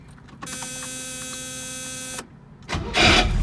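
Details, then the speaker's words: 1971 Mercedes-Benz 280SL, 85,900 miles, second start during a pre-purchase inspection: about two seconds of harsh metallic grinding while cranking before the engine catches, repeatable; suspected starter grinding against the flywheel, not confirmed. "so I first started I heard the grinding noise that sounds like a starter against the flywheel so let's see if I'm able to duplicate that noise right now here we go"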